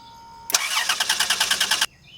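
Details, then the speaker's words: 2005 Dodge Grand Caravan no-start: starter spins engine briskly and evenly about 1.5 seconds, never catching; crank no start, traced to a shorted EGR valve pulling down the 5 volt reference. "It'll crank but won't start, so it'll turn over with the key but it won't actually start up."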